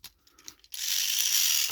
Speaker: Now, in this model is noisy. That means we need to replace. I can't put it back. Okay, we need to replace the cog on this Salty. As you can hear, it's noisy.